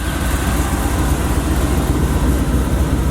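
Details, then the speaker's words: Supercharged Cutlass at idle, slight supercharger whine at low rpm: steady low rumble with an even lope and no rocker arm ticking; valvetrain quiet and healthy, and the engine never runs hot. "She runs so good. The more I drive her, the better she sound, man."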